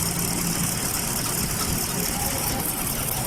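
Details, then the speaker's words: Chevrolet Caprice V8 idling rough with engine vibration, an uneven lumpy thump. The scanner shows a multiple cylinder misfire. There is no spark from the bank 1 coils, caused by a cut ground wire at the back of the engine, which is repaired by soldering. "I see the scanner this St it's a multiple mire cylinder mpire"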